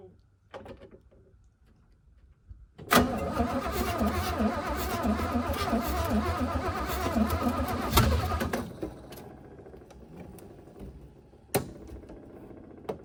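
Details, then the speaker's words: 1971 GMC truck V8 right after a block hugger headers install; fires up and runs about six seconds with an uneven, lumpy beat, then shuts off; rough idle, owner suspects one cylinder lacks spark. "well I got to work on the idle a little but if you're here you'd be able to hear that uh the headers definitely sound a little bit better"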